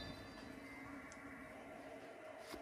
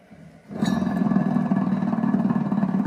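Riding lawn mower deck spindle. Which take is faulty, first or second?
second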